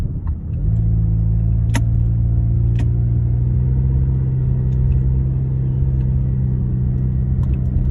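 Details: 2009 Honda Accord engine settling into a deep steady low rumble after starting, with a few sharp ticks on top; exhaust and intake leak noise.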